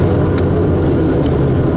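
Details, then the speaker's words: Manual-transmission vehicle coasting at speed, engine off in neutral with key on: a steady low growl from a worn wheel bearing that goes away on a left curve and returns when swerving back. "off, right? And you can hear that growling. Now listen, as we make this left curve here, it goes away."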